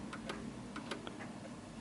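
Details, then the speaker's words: 1940s Hermle 8-day chiming clock with the levelling wedge removed so it sits tilted. Faint, lopsided tick-tock that loses rhythm and struggles until the pendulum stops; the clock is out of beat. "as you can hear it's ticking more than talking and it will come to a [Music] stop and you can hear it's struggling and it comes to stop you can't hear the ticking anymore"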